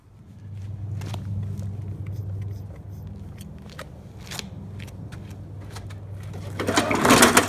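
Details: Trash-picked Murray mower with a Briggs & Stratton 300E series engine, after carburetor and tank cleaning and a sharpened, balanced blade: runs at a steady speed with an even beat and no misses, knocks or hunting; healthy.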